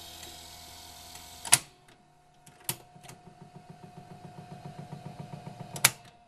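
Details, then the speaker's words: 1978 RCA VCT-200 VCR in play mode: after a few loud clunks the mechanism ticks rapidly and evenly but the tape never moves; belts first suspected, likely cause a cracked drive gear slipping. "let's try to play not moving in there"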